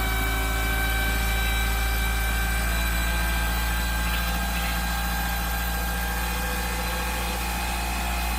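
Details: 1997 Mitsubishi Eclipse Spyder 2.4 SOHC after timing belt replacement, accessory belts off; smooth even four-cylinder run, steady tone, no misses, ticks or knocks; owner says smoother and more responsive; normal idle.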